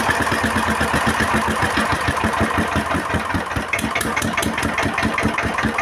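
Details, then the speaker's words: Single-cylinder S1100 16 HP diesel, which had no power and was pushing oil out of the breather: after a slipping, hard-to-crank cover was replaced, it idles with a steady, even thump and no knocks. Oil pressure is back to normal. "setelah kita ganti ternyata tekanan olinya sudah mulai normal lagi ya sobat diesel"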